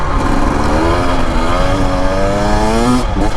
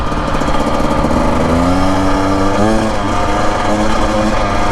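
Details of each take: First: 2025 Husqvarna TE250 two-stroke enduro on desert trail, in third gear; smoothly rising pitch, no stumble; the hiccup felt in first and second gear clears up in third; clean acceleration. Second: 2025 Husqvarna TE250 two-stroke enduro, about 60:1 premix, revving under load on desert trail; near the end it briefly stumbles and dips in pitch at certain RPMs and loads; owner suspects the map needs reflashing; throttle hiccup.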